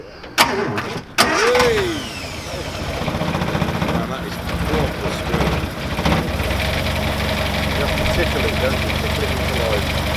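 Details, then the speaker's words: Austin Healey Sprite cold start: engine catches after a couple of quick cranks, then settles into a steady, even purring idle with no misses or knocks; normal cold start and idle. "Oh, immediately you get the smell. It's not a growl, is it? No, it's a purr."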